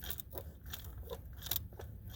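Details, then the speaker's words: Mk4 TDI, engine off, turbo actuator moved by hand: irregular dry crunches and scrapes; owner suspects the actuator is dead, punctured or rusted inside, while the turbo vanes feel okay; unconfirmed. "it doesn't feel like the turbo is the one that's crunchy it feels feels like um that valve right there is crunchy so I and you hear that"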